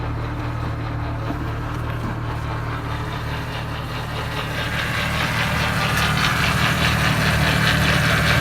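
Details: 1998 Jeep Wrangler AX-15 transmission, idling engine then a rising whirring grind when reverse is engaged with the transfer case in neutral; goes into gear fine and moves, but loud grinding/whirring.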